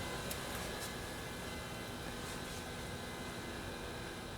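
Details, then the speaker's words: Mitsubishi Evo 8, ignition on, engine off, throttle held down to cycle the ABS/HCU pump for brake bleeding: quiet, steady electric hum with faint high whir; pump running normally. "keyed up run but not start and then we should hold the Throttle Down and there it's running and you can hear it right there"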